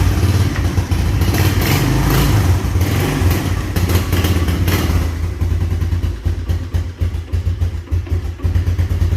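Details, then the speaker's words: Carbureted 1986 Honda TRX200SX Fourtrax ATV with big-bore 200 single, just after a cold start: thump revs up and drops back to an uneven, lumpy idle as it warms; runs well; normal running. "nothing bad to say about this atv it runs unbelievable um the fire's right out uh it's carbureted so you know you have to work the choke"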